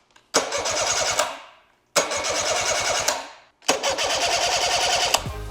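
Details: Evinrude 99 outboard, battery reconnected after a new start switch was installed. Three short cranking bursts, each with a quick, even compression beat: the starter spins the engine freely and the starting circuit works.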